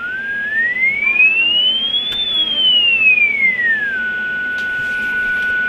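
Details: Rohde & Schwarz EK070 shortwave receiver, fed a 1 microvolt 40 MHz signal-generator tone: clean whistle glides up, then down, holding steady over faint hiss; weak signal received clearly.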